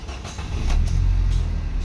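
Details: 2016 Nissan Almera, manual transmission, with low power, after throttle body refitted: engine cranks briefly, catches cleanly and settles into a steady, even idle with no stumble, check engine light gone, idle rpm normal; normal start.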